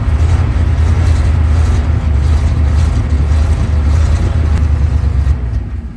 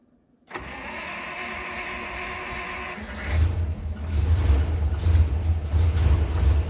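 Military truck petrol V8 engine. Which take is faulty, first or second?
first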